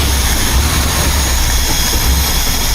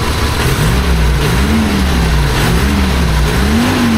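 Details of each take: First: 1976 BMW 2002 carbureted four-cylinder, after valve adjustment and carburetor/timing tuning: deep, uneven, lumpy idle with wavering low rumble; rough idle that shouldn't be. Smooth when revved, with a slight miss somewhere. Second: 1976 BMW 2002 carbureted four-cylinder, first start with the air cleaner fitted, after carburetor and timing work: low, even engine note with gentle blips settling smoothly, no knocks or ticks; runs quietly.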